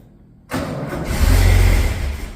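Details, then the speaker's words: XA Ford Falcon start after new points, spark plugs and swapped distributor cap; brief crank, then the engine catches and rises to a steady rumble that eases back down, starting and running cleanly; normal start. "but there you go she runs she lives"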